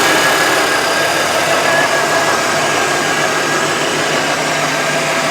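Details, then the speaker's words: 1988 Lincoln Town Car, first start: loud, rough idle with an intermittent misfire and visible smoke; suspected stuck injectors, and the tailpipe smell is burning oil rather than fuel. "guys we funded that Miss run away a little bit I'd be stuck injectors"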